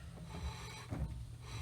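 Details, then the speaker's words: 1957 Dodge parking brake drum turned slowly by hand after installation: dry scraping rub rising and falling, owner suspects part hitting at one spot or brake pad lightly touching; rubbing noise. "i think i have some issues with it hitting it's actually hitting right here"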